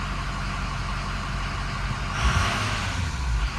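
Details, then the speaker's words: Engine idling after a clogged valve was replaced with a clean one and left unplugged so it stays closed: a steady, even idle with no misses, back to normal with no smoke. "Yeah, it's back to normal. No smoke."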